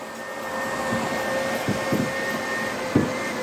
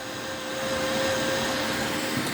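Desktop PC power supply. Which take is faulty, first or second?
first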